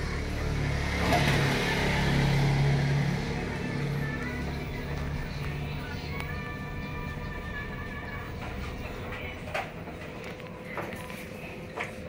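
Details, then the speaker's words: Panasonic 8.5 kg automatic washing machine after repairing U12 and H12 errors; spin dry runs with even low drum rumble and light steady tick, no knocking or scraping, errors cleared; normal spin. "kaya dapat balance yung mga labada pag sa spin dry na O rins yan So okay na wala na yung mga error code"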